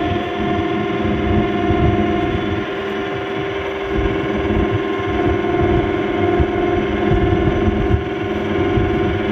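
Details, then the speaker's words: Samsung 12,000 BTU split air conditioner about 5 minutes after switching on: loud steady drone with a rough, fluttering rattle underneath. "วันนี้ผมจะพามาดูแอร์Samsungครับ12,000btuเกิดเสียงดังเวลาเราเปิดแอร์นะครับประมาณ5นาทีแล้วเกิดเสียงดัง"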